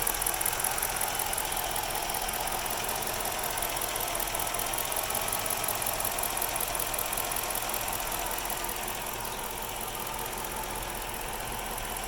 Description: My 06 Chrysler 300 c 5.7 hemi at idle. Has a very rough idle